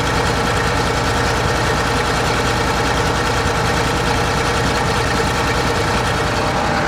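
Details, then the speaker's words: John Deere 9600 combine diesel, cold start, blue smoke, diesel-diluted oil, code 37E: a steady heavy idle with a faint irregular stumble; one cylinder partly missing, traced to a worn-out injector. "I'm suspecting at this point we're probably missing on one cylinder, but we'll find out."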